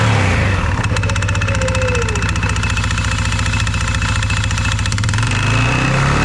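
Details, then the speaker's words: 2021 CFMOTO 520S quad that was stuck in drive; belt drive reassembled but not yet tensioned. A fast, regular metallic rattle sits over the engine hum. The worn centrifugal clutch is very noisy and needs replacing, though it now disengages at idle. "There's a lot more gap in that belt now, and it is engaging when you rev it up. It's very noisy, that clutch though. We'll definitely have to get a new one."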